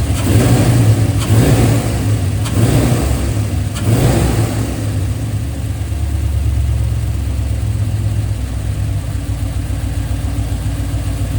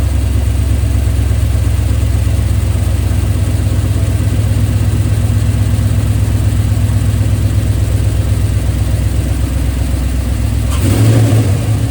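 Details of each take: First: 2003 Silverado LS6 V8 after replacing cheap intake gaskets with name-brand ones; previously ran rough, backfired, MAF code blamed on intake leak; a few blips then steady, even idle with deep low rumble, no stumble or hunting; normal idle. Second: 2003 Chevrolet Silverado LS6-intake V8 after replacing soft intake gaskets. It had run rough and set a MAF code. At fast idle a sharp pop around eleven seconds marks a startup backfire, suspected from intake leak or vacuum cap.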